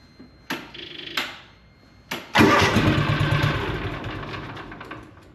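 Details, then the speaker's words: John Deere Gator 6X4 sitting since 2014, revived auction buy, needs running more: two short cranks, catches on the third, flares up and settles into a steady idle; solid engine, starts and runs healthy. "we'll have to get it running a bit more but that's a that's a solid engine"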